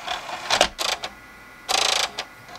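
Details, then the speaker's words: Xbox 360 (Jasper motherboard) DVD drive with Open Tray error, flashed and cleaned: harsh rattling bursts and rapid clacking chatter as the laser sled jumps; heard after flipping console, attributed to a loose screw, though owner feels the laser itself may be faulty. "I want to see if that screw came off again yep I hear it I hear it as soon as yep I flipped it over and I heard it so it's that screw"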